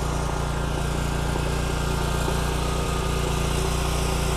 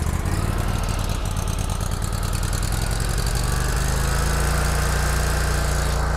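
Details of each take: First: Kubota Z122R Kommander mower after a new carburetor: fired right up and, with the choke off, runs with a loud, steady single-cylinder putter, no surging or misses. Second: Kubota Z122R mower with new carburetor, running only with choke pulled up: lumpy, loping low thrum that settles later, dying when choke pushed down; acts starved for fuel.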